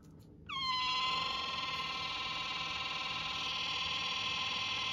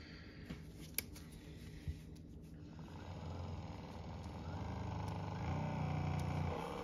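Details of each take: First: Sharper Image massage gun with a loud, steady high squeal near 1 kHz that starts with the motor, pulses slightly and persists at any speed setting; dry internal friction, to be fixed without disassembly since the rear cover won't unscrew. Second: Sharper Image massage gun runs at a steady, smooth hum with a faint mechanical knock and no squeak, after a little talcum powder was sprinkled into the top vent and blown in, without disassembly.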